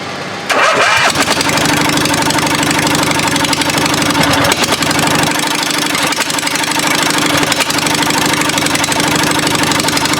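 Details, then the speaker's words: 22 HP twin-cylinder engine for a Murray mower build: lopsided, chuffing idle firing on only the first cylinder; second cylinder has spark at the plug wire and a wet plug but no combustion; dead cylinder from a dislodged pushrod. "this is just like I said it's only firing on that first cylinder we've got it hooked up though I'll let you guys hear it"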